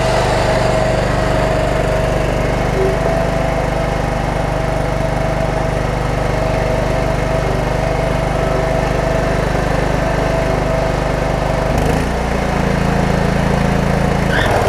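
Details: Cub Cadet 1320 riding mower with hydrostatic transmission, riding down driveway: steady even engine drone with constant low rumble, no knocks or misses; runs healthy though it bogs slightly uphill.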